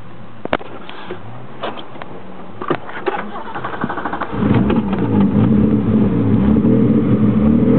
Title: E30 Rough Idle